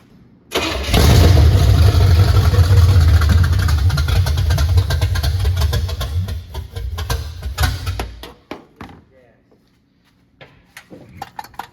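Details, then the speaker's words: 1979 Camaro V8 restarted after four years off the road, no exhaust, timing adjusted: catches and fires loud and lumpy with a deep uneven burble, then throttle blips before shutting down. "Well, she fires up. Uh we had to adjust the timing a little bit as you seen."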